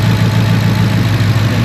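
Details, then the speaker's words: 2014 Ford Mustang V8 idling with a deep uneven lope, P0308 misfire on cylinder 8: injector 8 gets no pulse from the computer despite swapped plugs/coil and in-spec injector resistance; wiring at computer possibly disconnected. "Les comento que la falla que presenta este carro Ah no el inyector número ocho pierde señal referente a la computadora"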